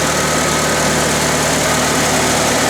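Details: IH 354 tractor idling after a wire fix and points cleaned and reset to 14 thou; it had sputtered after 30–40 minutes of mowing: steady, smooth idle with no misses; ignition fault fixed, though it was hard to start.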